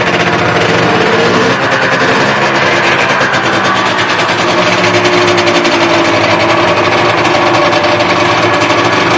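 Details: 1976 Rupp Nitro 340 first start after full top and bottom end rebuild with new high-performance Wiseco ported pistons: loud, crisp two-stroke buzz, steady with small rev swells, no knocks or rattles; runs cleanly.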